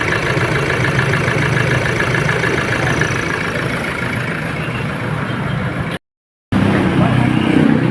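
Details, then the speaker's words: Toyota Hilux diesel after replacing the alternator pulley and timing belt, which had caused a helicopter-like noise and the T-belt light: smooth, even, quiet idle with no flutter or belt-drive whirring; normal idle. "Wala nang ingay mga boss, oh. Tahimik na."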